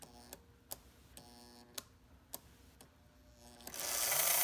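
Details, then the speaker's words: Restored, once-stuck motor of a Märklin SK 800 (about 1945), bench-powered through the pickup slider and running in reverse after the reversing unit engaged. Steady whir with light, even ticking about three to four per second. Solid motor, normal running. "so it looks like we've got a pretty solid motor here that's working really well"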